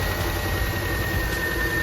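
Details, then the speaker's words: 2002 Subaru Forester that sputtered and misfired on the road, idling before warm-up: steady low idle with a faint uneven shake; low compression in the front cylinder, though running better than before. "so it seems like it's running better even though it's got low compression on that front cylinder"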